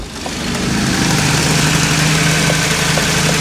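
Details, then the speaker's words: Honda Del Sol first start after a fuel pump replacement: lumpy, uneven idle with a loose rhythmic beat; running a little rough, which the owner suspects was due to a major fuel leak at the fuel line. "oh it's running the car's running it's alive it's beautiful it's running a little rough"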